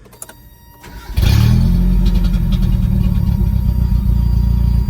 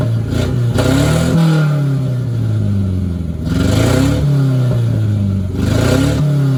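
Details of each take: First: 1990 Mitsubishi Mighty Max four-cylinder after a Seafoam treatment and new spark plugs, previously skipping: brief crank, then it catches and idles evenly on all four; the cause was a bad plug, not the suspected burnt valve. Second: 1990 Mitsubishi Mighty Max after running Seafoam on the old spark plugs and fitting a new fuel filter: revs rise and settle, still skipping with an uneven misfire, but much smoother and little smoke.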